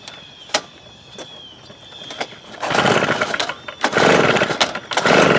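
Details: 1998 STIHL BR320 two-stroke leaf blower, about 24 years old, run while trying mixture adjustments before removing the carburetor: surges in uneven bursts, revving then sagging, never holding full throttle; power loss later fixed by carburetor cleaning.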